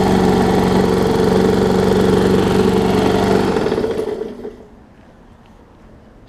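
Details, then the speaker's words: Brand-new Murray big wheel mower, possibly transport-damaged, burned oil inside, after base plate swap: idles with a light regular knock about four per second, uneven beat before shutoff, oil full; owner suspects bent shaft. Engine knock at idle. "you hear it's got a little bit of an uneasiness to it. It does have plenty of oil in it."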